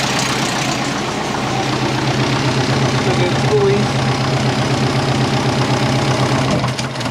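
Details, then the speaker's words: Twin-turbo compound Subaru Forester just reassembled, TD05-20g turbo: rapid, fairly even puffing tick about four per second over the idle; owner suspects exhaust leak at the three-bolt flange onto the TD05, flange possibly warped; no fluid leaks. "but yeah at the moment there's no fluid leaks which is great so we're just chasing exhaust leaks it's not that bad"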